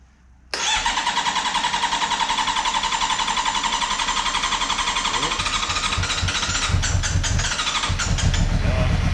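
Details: 2009 Honda CB400 V-Tec four-cylinder, sat for years, first start after fuel pump replacement despite feared blocked injectors: catches almost instantly, runs on all four with an even busy idle and a quick blip; smooth, clean start.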